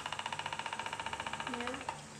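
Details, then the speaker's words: Household oscillating electric fan before repair: fast, even knocking about fifteen per second from inside while running, then fading; something jammed inside. "giờ là cái này của mình nó quạt rồi đó bật kêu nè Đó nó bị kẹt cái kiểu gì trong nè bây giờ nó kêu rồi"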